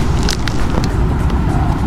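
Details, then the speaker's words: Dat Bike Quantum S3 electric motorbike, chain used under 1,000 km, while riding: heavy low rumble with rough scraping rattle; loose drive chain grinding on the sprockets. "he's going to help me check in what we can do about the chain because the noise that we hear is mainly from the chain"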